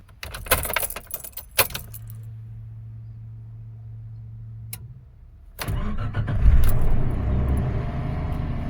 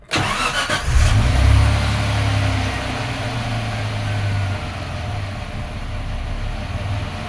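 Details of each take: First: 1995 Suzuki Escudo cold start after sitting over 24 hours, after the idle speed and fast idle valve were set. It cranks, catches and settles into a steady raised fast idle with no misses or squeal, running fine. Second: 1995 Suzuki Escudo at operating temperature, started with diagnostic check mode engaged (code 21): engine catches, flares, then idle hunts up and down and sometimes stalls; expected idle hunting in check mode.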